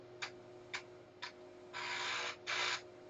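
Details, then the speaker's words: Repaired Commodore 1571 floppy drive on 240V, formatting double-sided from a C64: three crisp head-step ticks then longer even buzzing write bursts, head back to track 0 for second side; normal, no errors, 1328 blocks free. "Sounds like it's formatting the disk. Okay, it's now pulled the head all the way back to track 0, and it's doing it again. Presumably it does one side and then the"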